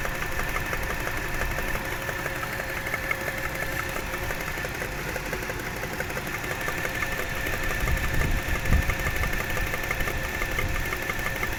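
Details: Toyota 1JZ-GE engine: dull, irregular knock about twice a second under a rough idle; source not pinned down, advice suggests checking camshaft bolt tightness.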